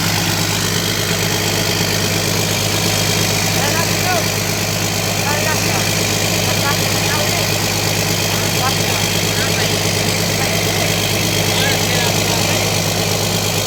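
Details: Komatsu PC200-8 excavator after engine overhaul: even steady diesel idle with smooth low rumble and regular firing, no knocks or misses; sounds healthy.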